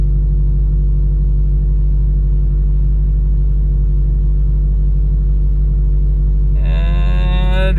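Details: Subaru WRX FA20DIT on a speed-density tune, cold start: uneven idle with a cylinder 3 misfire, codes P0303 and P0000, no issue at WOT or when warm; cylinder 1 and 3 plugs replaced, oil found on the cylinder 3 plug, owner suspects an internal cause.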